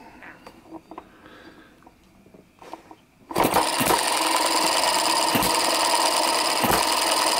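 After start-up a steady mechanical clatter runs with a distinct firing thump about every 1.3 seconds, near 45 a minute; it is running as it should.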